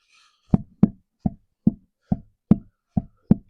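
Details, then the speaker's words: 2002 Chevy Silverado rear axle pushed in and out: eight dull clunks about every half second with no up-down play; in-and-out end play, owner suspects a worn or broken C-clip, later replaced. "There's no wiggle wiggle jiggle up and down, side to side, just in and out. So, that's kind of what's making me think that that C clip must be wore out or broken or something in there."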